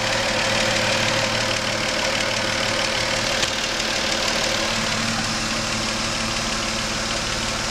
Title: Engine knocking and a hissing sound